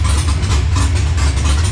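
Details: LS-swapped Monte Carlo V8 with big cam on ACES Jackpot EFI, first start-up while the system learns: deep, loud, steady lumpy rumble at idle with no knocks or misses; normal cammed idle.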